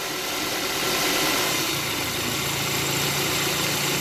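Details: Petrol car engine idling in gear after the accessory belt tensioner was replaced to cure a strange noise when engaging drive or reverse: a steady, smooth, even hum with no knocking or rattling. The tensioner now swings much less.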